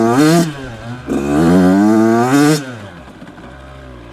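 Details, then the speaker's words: Brand-new 2026 Yamaha YZ85 two-stroke on 32:1 premix revs, stumbles and sputters between blips, then has to clear out. Rich jetting is the cause: a rich bog with fouled plugs, smoke and oil dripping from the silencer. "You can hear that sputtering. Kind of has to clear out."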